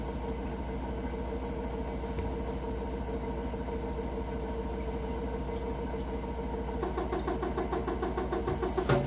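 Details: Hotpoint NSWR: steady low rumble throughout, with a fast rattling tick creeping in toward the end, an unusual running noise with no clear cause.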